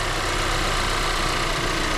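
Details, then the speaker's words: Audi A5 1.8 TFSI after engine overhaul for uneven running, oil burning, leaks and worn timing, started after 100 km of driving: steady, even idle with a smooth fine hum, no knocks, misses or rattles; normal idle. "Teraz zapalimy Aniu zapal bardzo ładnie ten silnik odchodzi"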